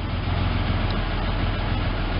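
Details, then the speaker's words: Ford Ranger pickup, first run after about 8 years sitting, new fuel pump: steady, even low idle rumble with no knocks or misses, though a slight hesitation is noted; owner suspects a plugged fuel filter or old gas. "two and as you can hear it is running a little hesitation there could be some a plugged fuel for filter or uh you know just old gas or whatever what have you"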